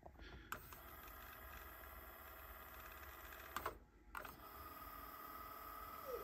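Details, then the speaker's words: Like-new Nakamichi Dragon cassette deck on the bench during servicing, owner reports issues and the door won't open: steady motor whir, tape winding smoothly, clean clicks as modes change; fast forward and rewind work normally. "fast forward rewind works"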